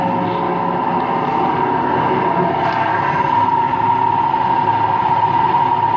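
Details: Empty washing machine on rinse and spin with no clothes, a constant loud roar with a steady hum at fast spin; owner suspects both the motor bearing and the drum bearing are worn, and no leak is seen.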